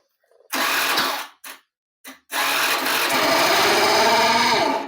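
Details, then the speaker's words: Honda Beat carburetor scooter, noise from left-side CVT area: short bursts then a longer rough, catching grind with scraping rattle; one-way starter drive gear suspected of jamming. "Apa yang menyebabkan Suaranya kok mengerikan ya Suaranya kok aneh kalau dilihat dari suaranya sepertinya bagian [Musik] oneway starter"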